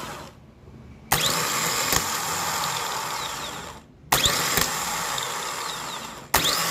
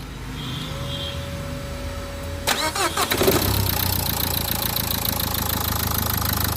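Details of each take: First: Renault Duster starter motor on bench test before overhaul: three bursts of harsh high whirring spinning free with a dry rasping edge and gritty coast-down, like a shaft turning in a bearing with no grease left. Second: Renault Duster after starter motor overhaul: quiet tone, then a brisk even starter whir and the engine catches cleanly into a steady idle: normal cranking and start.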